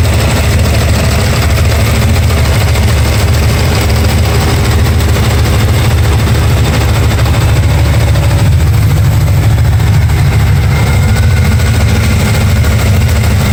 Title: Chasing a ticking noise